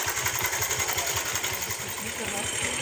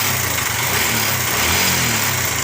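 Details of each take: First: Bajaj Pulsar single-cylinder motorcycle idling after timing chain and tensioner adjustment: steady thumping about three beats a second under hiss, no chain slap or rattle; timing chain noise fixed. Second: Bajaj Pulsar (owner calls it his 150) running steadily, with a busy, tinny clatter on top that is loudest in the upper range; timing chain rattle before chain replacement.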